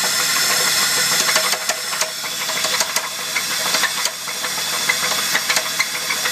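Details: Holden VS Commodore with an Ecotec 3800 V6 and 5-speed manual: sharp metallic knocks about three a second over the running engine, a big-end bearing knock that developed overnight. A weak oil pump and poor top-end lubrication are suspected contributors.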